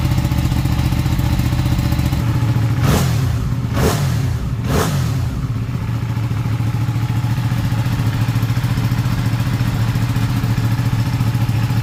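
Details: Ducati 959 Panigale race bike with a crank-no-start and misfire fault, started on a low battery after a part was cleaned. The twin fires into an even, thumping idle, and quick throttle blips rise and fall cleanly, a healthy start and idle.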